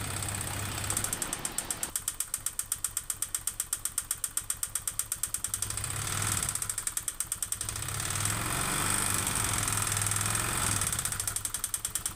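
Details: Honda Vario 125 injection (K59), never serviced, oil never checked: rough rapid metallic clatter about four beats per second at idle, persisting with CVT front pulley removed; white exhaust smoke noted. Worn loose piston, piston slap.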